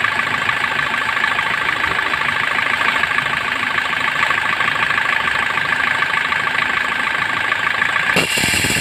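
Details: Suzuki Swift engine idling with steady raspy whirr and fine even chatter; rough alternator pulley bearing, fixed by opening and refitting the bearing.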